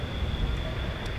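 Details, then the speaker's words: Turbocharged rotary-engine ATV that stopped making boost: steady high whine over the engine's low rumble without pitch change; turbo suspected failed, shaft has end play and slop, still spins, cause unconfirmed. "i think our turbo's done for moment of truth guys i mean it's still there there's definitely end play"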